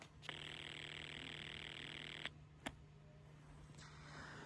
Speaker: If you're able to hear, you could hear the ring cycle which is going about 20 hertz per second. And then you heard the caller ID data and another ring. I'll do it one more time and then we'll answer. That is the ring voltage right there.